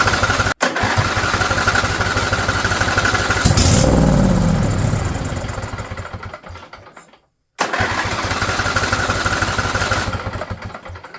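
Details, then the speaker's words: Husqvarna riding mower, Briggs & Stratton Intek V-twin, over 900 hours, new battery: catches with a brief rough burst of firing then dies instead of settling; fires but won't keep running. "let's try it now seen this moving before [Applause] it's getting fuel it's just not running off of it"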